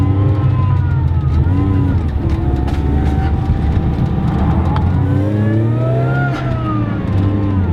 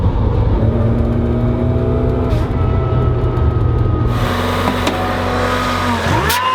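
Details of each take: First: Car with a new supercharger setup and relocated throttle body on a test drive under boost; wavering whoosh and chatter as the throttle lifts is compressor surge because the blow-off valve was installed incorrectly and not venting. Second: Supercharged Mazda Miata after throttle body relocation and a blow-off valve plumbed to the intake manifold, on a test drive: a pitched supercharger whine tracks revs, now very loud, then a loud hissing rush as the throttle closes. Normal supercharger whine and blow-off valve venting.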